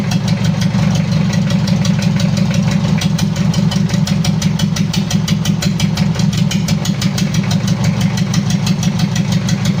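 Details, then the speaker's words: Mitsubishi L300 diesel, post-2010, after engine overhaul with a 12 mm rotor head: uneven, limping idle near three beats a second, one cylinder dropping out; oil pressure 4 bar at idle; a leak is causing the misfire. "Oke Lur sudah hidup untuk mesinnya Tapi ada kendala pincang kalau untuk oli aman udah naik tekanan oli idle ada di 4 bar"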